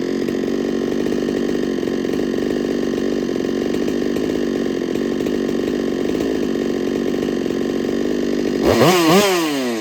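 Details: Holtzfforma 395 chainsaw being ported for racing, first run with squish at 18 thousandths (28 wanted): high steady revs with harsh metallic rattle on the exhaust note; owner suspects squish too tight, unconfirmed.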